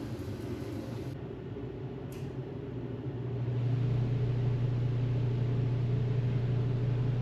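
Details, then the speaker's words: Mr Heater Big Maxx heater, about one year old, on replacement motor/fan after earlier failure; low hum swells as blower spins up then heavy buzzing vibration; owner suspects bent fan blade or its mounting to motor, unconfirmed. "nope [Music] damn still got a lot of vibration it's possible I could tighten these down maybe"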